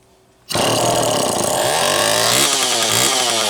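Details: Homelite EZ Automatic chainsaw after scoring repair, mixture opened to about one and a half turns: sharp snarl, high steady buzz wavering slightly; runs healthy after richening.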